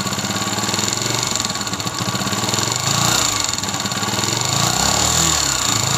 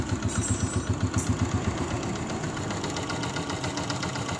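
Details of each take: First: 2022 Honda CG125, silencer blocked so only the engine is heard: rattling clatter climbing in pitch and loudness with each throttle blip; a vibrating cam pin is the cause. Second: 2022 Honda CG125 with magnet case refitted: steady even single-cylinder idle, about four pulses a second, no tapping or rattle; only the engine's base sound remains.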